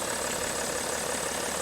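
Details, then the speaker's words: 2010 BMW 530d E61 diesel idling after the no-crank fault was repaired: steady, even diesel clatter with no misses or surges; running normally. "that's all put back together again it's running"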